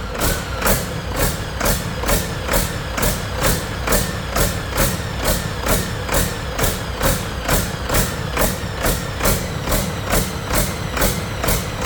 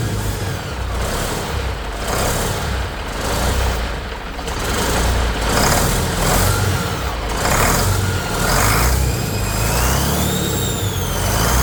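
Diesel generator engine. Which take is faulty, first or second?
first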